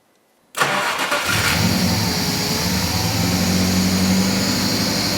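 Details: Nissan Laurel with VH41DE V8 on a newly configured ECU, timing checked about 5 degrees after: brief crank, then catches cleanly into a steady, even idle with a deep, smooth burble; normal healthy start and idle.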